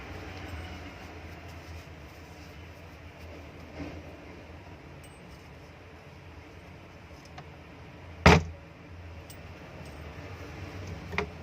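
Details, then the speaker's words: Lazer kitchen exhaust fan, single-phase 230 V 50 Hz, 1300 rpm, 2 MFD capacitor, before repair: steady low hum with a rough, gritty rumble from worn motor bearings; the winding is not shorted. "ये देखिए, काफ़ी ज़्यादा साउंड आ रही है।"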